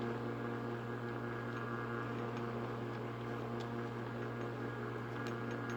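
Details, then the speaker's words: Early-1960s FoMoCo car radio on the bench, no cover: constant fizzing hiss, steady hum and scattered pops drowning out stations; owner says a nearby fan and the camera cause the electrical interference, stations heard faintly off camera. "unfortunately there's a fan in the background and this camera provide enough electrical interference to drown out the stations now it was still popping and fizzing extremely bad off camera"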